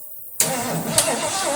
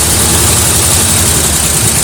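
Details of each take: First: 1973 Mercury Cougar XR7, first start since 1985, carburetor bowl filled with fuel by hand, carburetor untouched: silence, then the engine catches abruptly and settles into a steady idle. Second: 1973 Mercury Cougar XR7 V8, first start since 1985, oil/2-cycle mix in cylinders, no oil pressure shown on possibly faulty gauge: even idle with light quick ticking three or four a second; owner suspects noisy lifters from old engine, unconfirmed.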